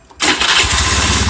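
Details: Honda Beat FI scooter after a starter fix, following a squeak heard after starting: quick crank, the engine catches and settles into an even idle with no squeak; starter engagement is normal again.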